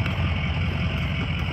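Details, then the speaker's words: 2004 Ford E-450 box truck, 6.0 L diesel, 121,000 miles, warm after running about an hour without overheating: low steady diesel rumble at idle with even beat, no knocks or misses; sounds great. "truck sounds great we've had it running for about an hour"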